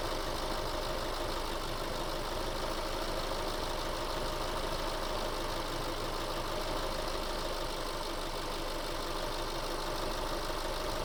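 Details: 2008 Subaru Forester SH9, EJ253 engine, after heater hose replacement, system bled and pressurized, fans switching on: even steady whoosh over smooth idle, no knocks or rattles; cooling fans cycling normally.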